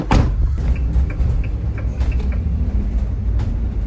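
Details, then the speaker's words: Large van being built out, while driving: heavy deep rumble, droning road roar, loud low boom and rattles in the rear cargo area, about twice as loud since the build work done the day before; source not yet found. "It's like twice as noisy back there since we did the work yesterday. And I don't know why."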